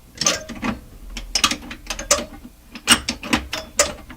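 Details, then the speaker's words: SP-600 communications receiver with rebuilt RF deck just installed, band switch just oiled: rough bursts of ratcheting, scraping clicks each time the band switch turns, turret mechanism seemingly binding; cause unknown. "Ooh, what's all that? Well, I'm not sure what all those noises are."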